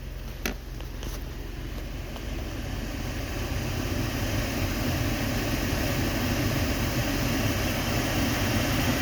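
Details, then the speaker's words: 2013 Ford Explorer heater blower motor after cleaning out heavy dirt, engine running: steady airy rush building over a few seconds to an even roar on high, no squeal or ticking; blower running normally. "So it's on low. I'll shut it. Should stop. It was pretty dirty. So I'll turn it back on here."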